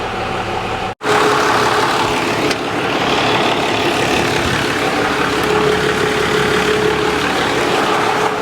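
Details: 1995 Dodge Cummins 12-valve P-pump diesel, 172,000 miles, just revived after sitting abandoned: steady, even diesel idle with smooth clatter and no knocks, misses or surges; healthy idle despite fuel and transmission fluid leaks.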